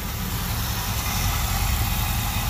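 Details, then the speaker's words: 1977 Chevy Camaro V8, first run with a hot lead from the battery to the distributor: a deep, steady, even rumble with no clicking or clacking; smooth idle on all eight cylinders. "sounds like it's running on all eight so pretty excited about that"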